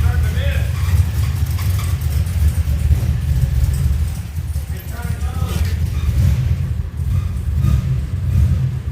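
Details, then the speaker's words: 2007 Pontiac Grand Prix GXP LS4 V8 after rear head bolt thread repair, first start after about 30 tries: uneven lumpy idle surging and sagging, strained as if something dragging, then stalls; suspected mechanical or wet slipping belt, oil not milky. "I killed it. Yeah, it sounds like something was trying to lock up."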